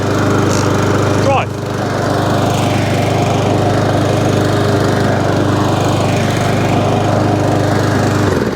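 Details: Mountfield SP454 mower, cold at about 3°C after sitting, after fixing an underneath knocking noise: steady even drone with no knocking; runs normally.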